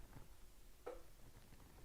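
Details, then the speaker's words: Honda/Acura AC compressor clutch commanded on and off via scan tool actuator test, no trouble codes: one short sharp click near the compressor as the clutch engages, normal. "There it is. It's on. I heard a click. Off. On. Off. So, I hear it clicking and it says it's on and off. So, I know my AC clutch is turning on and off."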